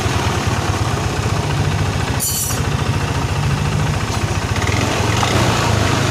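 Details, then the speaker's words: First-generation Yamaha NMAX with an ISC sensor, running untouched: a fast, steady pulse that never drops to a slow idle while the rear wheel turns on its own with no throttle. High idle from a broken idle speed control spring. "Nah tunggu bentar lagi, ini ban muter sendiri tanpa saya gas ya. Ini posisi motor nyala, saya biarin. Nah, posisi bannya ini muter kenceng, muter sendiri karena terlalu tinggi gasnya."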